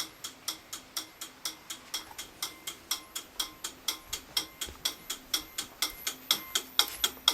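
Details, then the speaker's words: Homemade M301 siren/horn control panel in code 3 march time: crisp, loud relay clicks at about two per second as the coding relay pulses the horns, normal operation. "you can hear that's the relay clicking right there it's pretty loud and then that turns our coating off when it's in the middle so that the horns don't actually pulse"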